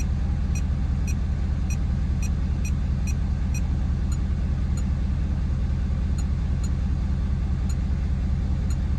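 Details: Ford F-250 6.7 L Powerstroke diesel after fuel filter conversion and key-cycle priming: steady even idle with light regular injector tick over smooth low rumble, no misses; healthy.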